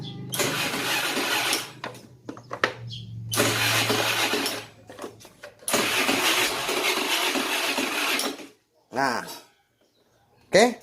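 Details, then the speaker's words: Honda Vario 110 carburetor scooter that previously gave a "tek tek" click on the starter despite a healthy battery, after rewiring a connector and the CDI: starter spins cleanly with no clicking and the engine catches and runs; normal starting. "nah oke teman-teman untuk starternya sudah bisa dan tidak ada lagi bunyi cetek-cek ya teman-teman"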